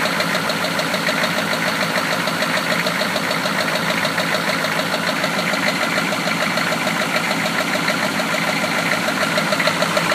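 At idle there's a steady, sharp knock about three times a second riding over the engine; sounds like a worn rod bearing knocking.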